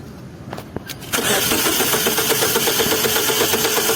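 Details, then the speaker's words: Mazda 626 1.8 manual that stalled after driving: the starter cranks steadily at about three beats a second but it never fires. Spark is present, there is no fuel pressure, the pump hums and works, and the tank is empty; refuelling fixes it. "Проверили насос. Насос гудит. То есть он рабочий, качает. Просто закончился бензин. В баке нету бензина."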